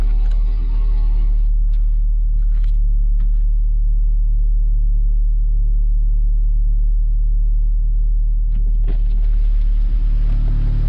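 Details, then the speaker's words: Audi S3 8V engine, still completely stock, at cold start before a Racing Line inlet and outlet are fitted. A loud, steady, deep drone is held at raised revs without dips or misses, a normal cold-start high idle. "Là on a le démarrage à froid, hein, on est en cold start, c'est pour ça que ça tourne haut et qu'on entend bien le moteur."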